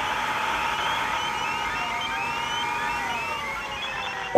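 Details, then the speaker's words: HF amateur radio receiver: dense whine of stacked whistling tones drifting slowly over steady hiss; radio frequency interference comes from nearby Dell enterprise servers. "So you can get RFI from anything including enterprisegrade servers"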